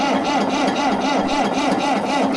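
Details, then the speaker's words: B275 diesel after rebuild, lost fuel prime from air leak at the petcock, injector line nuts loosened for bleeding: steady high starter whine with even wobble and no firing while cranking until fuel appears at the injector lines. "Now we just basically crank it till we see fuel come out of those."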